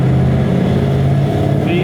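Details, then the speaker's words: 2004 Chevy Silverado 1500 LT 4x4 V8 with long tube headers and stage 4 cam, cruising with the eBay exhaust cutout: deep drone with a faint buzzing rattle from the cutout valve. "you hear the rattle drives me nuts"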